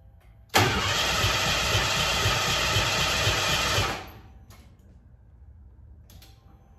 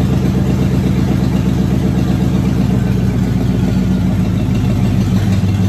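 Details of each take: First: Car "Abe", first start attempt after new fuel pump and tank cleaned, about 1.5 gallons in tank: steady starter cranking that never catches; too little fuel for the pump to pick up and return. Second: Car nicknamed ABE, first run since 2019 after a new fuel pump, new starter and tank cleaning: smooth, even low rumble holding steady without misses or rattles; normal idle.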